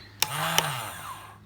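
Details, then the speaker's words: Suzuki Quad Runner 250 restoration, starter relay bench-tested by energizing its coil, starter motor temporarily mounted: crisp relay click, starter whirs up smoothly, second click cuts it and it coasts down cleanly; relay and starter working. "as that's making and at the same time the starter motor up there is running"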